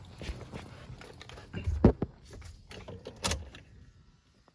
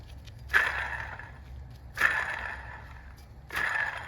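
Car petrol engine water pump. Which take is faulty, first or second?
second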